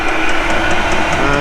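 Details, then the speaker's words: Hcalory 12V 5kW portable suitcase diesel heater running in a van: steady low burner roar with an even fuel-pump tick about five times a second, the pump being the noisiest part; normal running, putting out plenty of heat. "I'm quite impressed with it 5 Kow and it is uh chucking out a lot of heat and it's not too noisy I've heard some which have been probably a lot noisier than this"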